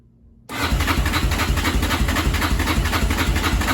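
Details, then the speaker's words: 2005 Yamaha Raptor 660R that won't rev and wouldn't start, choked or not (parking brake switch disconnected): silence, then it catches on choke and thumps at a lumpy idle. "what it does is when i turn it on it doesn't matter if i choke it or don't choke it it will not start"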